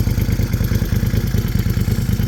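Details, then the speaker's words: 2017 Moto Guzzi Griso 1200 V-twin, warmed up, after clutch repair (replaced pushrod-damaged plate, installed missing bearing set): even, lopey idle, steady low pulses about nine a second, no knocks, rattles or clutch chatter. Normal idle. "Anyways, Very fun, peppy bike. I'll let you hear its raw sound here from the exhaust."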